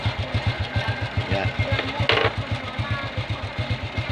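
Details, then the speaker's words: Honda Revo carburetor motorcycle (about 20 years old), after carburetor removal, air-blown cleaning and refit, with a new spark plug already fitted: the small single-cylinder idles evenly at about two beats per second, with no misses. Previous sputtering and poor throttle response are gone, giving a normal idle. "Ya, mantap teman-teman ya, kita udah gas tadi, suaranya nggak berebet kayak tadi ya."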